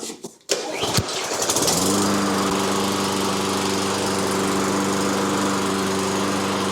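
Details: Toro GTS 140cc mower that sat over winter and wouldn't start, after carburetor clean-out: pull, a catch, then smooth even running with no misses; starts and runs normally.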